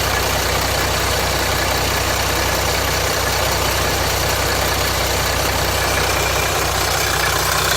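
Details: 2007 Jeep Grand Cherokee 3.0 CRD diesel idling after the oil pressure light came on; the light stays on at idle but goes off when revved, and the oil level is correct: harsh steady metallic rattle at three to four beats a second; owner suspects timing chain or guide breaking up, unconfirmed.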